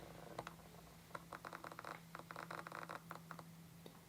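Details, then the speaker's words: Sigma 18-35mm f1.8 lens on an APS-C camera, microphone mounted on the camera: rapid bursts of dry creaking and scratching as the autofocus motor hunts, over a low electrical hum; normal but very loud autofocus noise. "you can hear that creaking that's the sound of the autofocus motor inside the lens so if you're going to be using this to vlog with you want to be really careful because the autofocus motor is really really loud on the kit lens"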